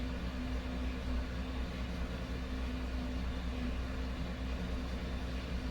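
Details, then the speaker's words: 2018 GMC Sierra 1500 5.3 V8, about 100k, history of P0300 and misfires on multiple cylinders: a deep idle rumble that wavers slightly, with rpm sagging into a mild stumble but no dead miss. Injector or carbon deposits suspected. "it is running kind of stumbling a little bit but not a dead Mist that's for sure"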